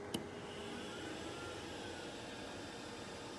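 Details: Glowforge laser cutter with replacement external exhaust fan: low, even airy hum, smooth steady whoosh with no rattle or surging; much quieter than the stock fan, normal operation.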